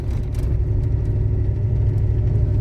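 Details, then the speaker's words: 2000 Dodge Ram, fire-damaged rebuild on first drive: low steady droning howl under road rumble while cruising, even pitch; owner unsure if wheel bearings, rear diff, transmission or brakes. "So it's either like wheel bearings, rear diff, transmission, brakes, wheel bearings, I think, brakes. I don't know."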